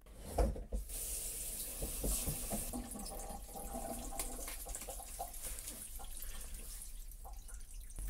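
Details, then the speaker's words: Redone PVC drain pipe, re-glued with corrected slope, an hour after gluing the last access cap: ordinary gurgle and trickle of flowing water, earlier very low-frequency drone gone; drain flows normally. "j'ai un bruit d'écoulement tout à fait normal mais j'ai plus effectivement le le son très basse très basse fréquence le sont très graves aigu"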